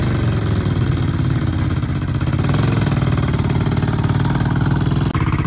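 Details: Old 1970s Honda 350 barn-find motorcycle, sat for decades, revived: steady low-pitched twin-cylinder idle with an even beat, no knocks or misses; the engine runs smoothly.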